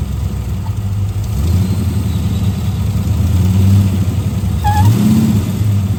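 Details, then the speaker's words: Chrysler VG Valiant Regal hardtop, parked about 2 years, idling with oil pressure: lumpy idle with a short high chirping squeal that comes and goes; vacuum leak squeal from a brittle little rubber hose. "I've had this car parked for like 2 years, and it was this pathetic little rubber hose. So obviously it's actually starting to go brittle, right?"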